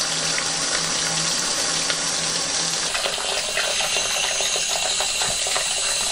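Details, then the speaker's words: Old toilet cistern refilling after replacing part 1 ball float valve with Pegler part 2 high-pressure float valve, float roughly set; soft steady water rush, no hammering or loud hiss — quiet normal refill. "I really want them to be finishing off pretty close to where it is now notice how quiet"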